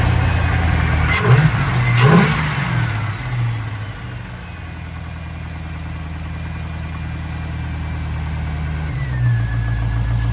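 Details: 1965 Ford F100 on a Crown Vic frame with a 5.3 LS V8 swap, first start after fuel pump wiring was sorted. The V8 catches, blips twice, then settles into a steady, even idle with no knocks or misses. Normal start and idle.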